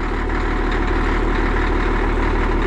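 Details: Cat D6D dozer, just fired up and warming: deep, steady diesel idle with an even low rumble and no knocks, misses or hunting. A hydraulic hose is suspected of leaking and the cylinders need repacking; normal idle.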